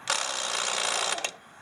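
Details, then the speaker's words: Smittybilt winch on a Jeep TJ: about a second of harsh, rapid buzzing chatter ending in a sharp click as the solenoid/relay fails to engage properly. "problem is I went to go pull somebody out and I was having problems with the relay that was kicking in and engaging and then tonight the relay was making some funny noises"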